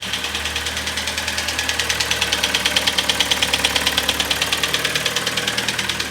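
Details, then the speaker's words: Kia Sportage G4KD 2.0 petrol at 101,000 km, knocking since a cold winter start after unknown oil: loud rapid steady metallic piston slap at idle, attributed to wrong oil and frost. "Сегодня у нас Kia Sportage с охренительным стуком это прямо стук сильнейший пробег у нас по одометр 101000 брякает капитально"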